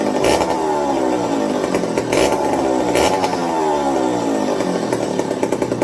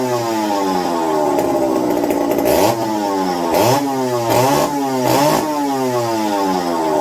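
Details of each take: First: McCulloch 55 gear-drive chainsaw after a homemade Scotch-Brite pad tank wick and a 090 carburetor swap to cure fuel starvation: revs up and settles back with crisp, even firing, no misses or bogging; running clean, normal. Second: McCulloch 55 gear-drive chainsaw, first run on a new homemade tank wick, fuel starvation issues: sharp rev blips settling unevenly; fuel dribbled from carb front only after turning low-speed needle, owner suspects low-speed side fault; carburetor flooding at low speed.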